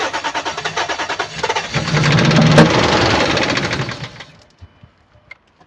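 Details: 2007 Dodge Ram 1500, 4.7 L petrol (engine code EVC, 175 kW), 290,000 km, with no compression in cylinder 1: about three seconds of uneven cranking, then a rough, lumpy run that soon dies; misfire.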